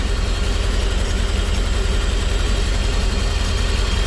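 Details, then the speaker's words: Petrol engine with a rough, uneven idle that stumbles and lopes: a bad ignition misfire. At night, spark plug wires on cylinders two and four are seen arcing. "you can definitely you can hear the misfire here it is pretty pretty bad"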